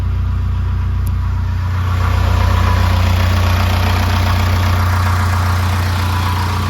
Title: Rough idle/smooth 800rpm